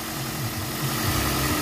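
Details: 2007 first-gen Toyota Vios petrol engine, recorded in the engine bay: low steady hum with an even beat and no ticking or knocking; quiet, healthy idle with a full coolant reservoir.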